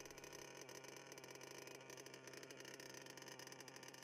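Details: HPI Savage XL Octane nitro engine on a block, wheels off the ground: high, steady buzzing idle holding an even pitch without surging or dying; normal idle.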